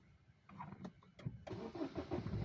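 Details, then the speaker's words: Baleno diesel that cuts out and won't restart when hot after 100–200 km; the cause given is wiring resistance rising with heat and cutting the fuel pump supply. The starter cranks briefly, then it catches cleanly into a steady, even clatter; normal start. "Start हो गई थी अच्छा ठीक है"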